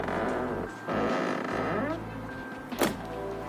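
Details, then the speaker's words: Lada Granta FL (about a year and four months old) door swings open with a rising squeaky creak, then shuts with a dull thunk; doors creaking for four months, hinge lubrication alone did not cure it; door hinge creak. "несмотря на то что машина практически новая туда в год с копейками это вот четыре месяца уже двери скрипят"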